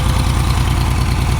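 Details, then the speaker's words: Ford 3000 gas three-cylinder tractor just after solenoid replacement, cold: lopsided uneven idle missing a beat, running on two cylinders; usually picks up the third after about five minutes, cause unknown. "Well, let's take it for a ride. It's done this running on 2-cylinder thing before, and after it runs for a minute, then it takes off. If you have any ideas what that might be, drop it in the comment section. Yeah, it's definitely still running on 2."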